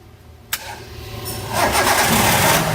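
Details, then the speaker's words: Hyundai i10 1.1 petrol after camshaft replacement and tappet adjustment for engine noise: short crank on a slightly weak battery, fires and settles into a smooth rising idle with no ticking or knocking; noise solved, not yet road-tested. "Battery थोड़ा सा डाउन है, लेकिन ये नॉइज़ बिल्कुल अभी सॉल्व है।"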